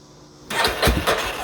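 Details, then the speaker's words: 1991 Yamaha Warrior with new aftermarket wiring harness and makeshift battery, no gas in tank: starter spins the single with a few uneven puffs that never catch; has spark but cranks without starting for lack of fuel. "and i don't have gas obviously so crank's over and as you can hear that it does want it is wanting to fire up so it's getting spark"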